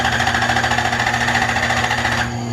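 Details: Lexus LS400 drift build, first start attempt after timing belt install with fuel system re-primed: rapid even starter churning about two seconds, engine turns over but never catches; crank no-start, cause not confirmed.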